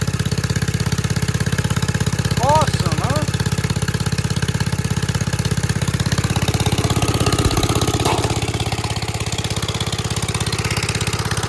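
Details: 1946 Gravely Model L single-cylinder, first run after about five years unused, started on ether with a suspected faulty carb float, in neutral at mid throttle: steady, even putt-putt at about three beats a second, unbroken; idling healthily again.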